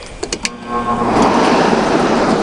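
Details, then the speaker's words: Air conditioner lying on its back, compressor off, indoor fan only: clicks at switch-on then a loud, heavy rush of air; fan too loud, owner suspects its flat-paddle metal fan rather than a blower wheel. "hear how loud that fan is I mean it moves an okay amount of air but the fan in this unit is just too loud"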